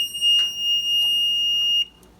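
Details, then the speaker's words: Maytag Neptune washer control panel gives a single high, unbroken beep for nearly two seconds and won't respond, beeping whatever button is pressed; owner suspects a bad control panel. "um control panel is not responding it's just beepi"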